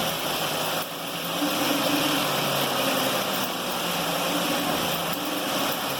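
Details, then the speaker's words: 2011 Ford Edge in drive: rough rotating grind with a wavering hum following wheel speed at the front, very strong at the CV joint, suspected origin there, which was then removed; CV joint grinding. "o barulho é muito forte ó aqui nessa região bem da mocinete B vamos ter que investigar aqui pode ser que o barulho esteja tendo origem aqui na mocinética"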